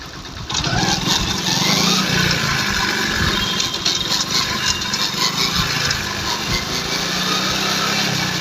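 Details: Hero Glamour BS4 motorcycle: engine runs with a rough, clattery metallic rattle, which occurs when the clutch is pulled in 4th gear at full speed, about 60; fine in 2nd and 3rd; sprocket change did not help, engine opened.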